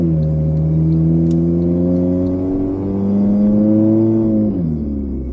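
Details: 2009 Honda Fit heard from inside the cabin while driving: engine note rises and falls with throttle under a raspy, buzzy edge; exhaust leak.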